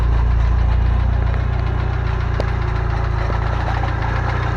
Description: Update: Fidanza flywheel starter ring is loose.